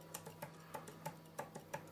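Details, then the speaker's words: Twin-cylinder Stuart 5A steam engine (pair coupled as one unit) turned slowly by hand: crisp metallic knocks about three a second; flywheel now firm on crankshaft, so knock is from a worn big end bearing. "the knocking that you can hear when i rotate the crankshaft is not the flywheel it's the begin that's worn"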